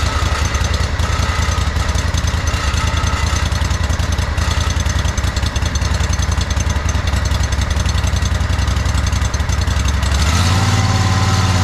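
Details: John Deere 317 lawn tractor with Kohler Command 18 hp engine, after fitting a new fuel pump; even steady thump about three and a half beats a second, deep exhaust note; no leaking, runs pretty decent.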